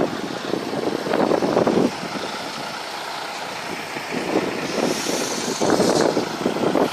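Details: Broken boat engine running: loud uneven note with irregular surges every second or so and no steady beat; rough running, cause unclear, and the engine is said to need replacing with a new one.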